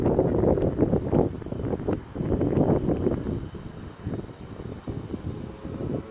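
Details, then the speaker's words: Yamaha PW50 two-stroke, revived after years in a shed, test ride: buzzy engine rises and falls in quick bursts as the rider pulls away, wind over the mic; pulls cleanly without bogging, runs well and fast. "yeah she runs good well that's pretty much a wrap for the PW50 she's up and running beautifully awesome she's pretty fast too"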